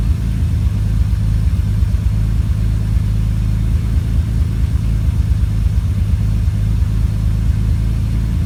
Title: Idle misfire